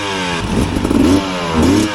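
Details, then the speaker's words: 2025 Husqvarna TE300 two-stroke TBI on stock ECU mapping, chugging uphill at low rpm: lumpy blubbering that won't clear when throttle is cracked open; loading up from a rich stock fuel map. "this one would load up and I would have to rev it up and clear it out before any obstacles. Like this. Hear how it doesn't want to rev out?"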